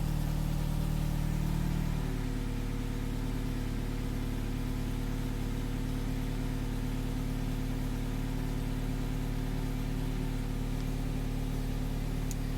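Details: Mazda Miata after replacing a failing fuel pump with a Deatschwerks DW200 and priming it via the diagnostic-port jumper; the engine catches and settles into a smooth, even idle with a steady low hum, no misses or knocks.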